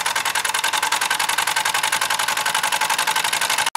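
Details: Small repaired model steam engine, piston freed after an acetone soak, heated by a three-wick methylated-spirit burner, gives rapid steady chuffing about three to four beats a second, even and unbroken until it cuts off; running properly.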